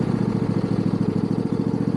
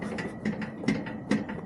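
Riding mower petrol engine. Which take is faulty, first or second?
second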